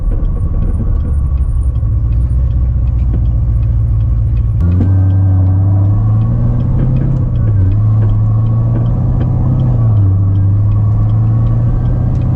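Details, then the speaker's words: Built C7 Corvette Z06 with Magnuson 2300 supercharger and 2.6 upper, head-cam POV drive at 70°F: deep V8 rumble, throttle blips, and a soft crackling burble with pops on downshifts, which is just how it is, not a deliberate tune. "and it does got a little burble on the downshifts not t like that on purpose that's how it is"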